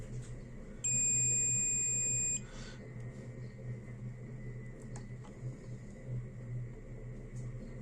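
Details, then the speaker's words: Multimeter in continuity mode probing the series-connected LED pads on an LED bulb's MCPCB: one clean high beep of about 1.5 seconds confirms the path is connected. "फिर देखिए ये यहां से connected है। इसके बाद LED के second point पर फिर मैं प्रोब लगाता हूं, फिर यहां लगा रहा हूं तो देखिए ये भी कनेक्टेड है।"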